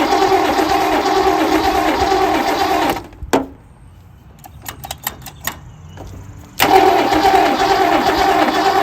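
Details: 1967 Lincoln engine first start after reassembly with a new valve lifter: loud rapid clatter over the running engine, stops then restarts still noisy, as dry lifters pump back up with oil; lifter clatter on start-up.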